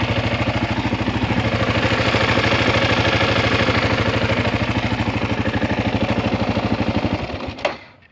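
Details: 2016 Kawasaki KLR650, about 5000 miles, single cylinder idling: buzzy, rattling vibration noise on every firing pulse, then shuts off; source unidentified.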